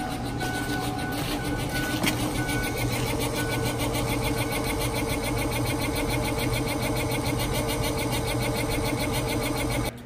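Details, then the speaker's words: FASS fuel lift pump on a diesel truck, sounding this way since install, truck performs fine: pump whir with an uneven pulsing surge about three times a second; air intrusion suspected, possibly the tank-to-pump hose. "hopefully you can hear that but you can hear like a surge I from what I can tell I think it's supposed to be more even and not not as like pulsing so could be air getting in"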